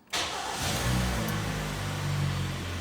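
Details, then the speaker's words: 2011 Hyundai ix35, G4KD engine, 12,000 on the odometer, repaired for scored cylinders that caused heavy knocking hot and cold: first start in neutral after the rebuild, oil pressure comes up and it settles into a steady, even idle with no knock. "давление пошло работает ровненько всё хорошо"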